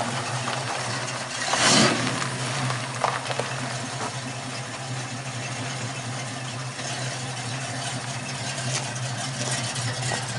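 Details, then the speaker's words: 1969 Mustang V8 at idle just after a new dual exhaust replaced straight headers: low, steady burble with a muted exhaust note and no ticks or knocks. Much quieter than before; healthy and even. "Sounds a lot better. Yeah. Yeah, you can hear yourself think in the car now."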